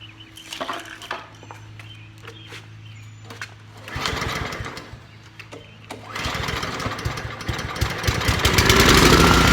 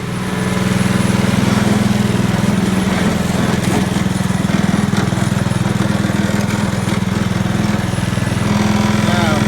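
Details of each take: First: Trash-picked Honda Commercial HRC216HXA mower, air filter packed with grass removed, carb cleaner sprayed into carburetor: pulls, coughs, then fires and revs roughly; owner suspects clogged carburetor or needs more gas. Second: Trash-picked Honda Commercial HRC216HXA mower, first run after reassembly: steady even beat about three and a half pulses a second, no misses or surging; runs smoothly.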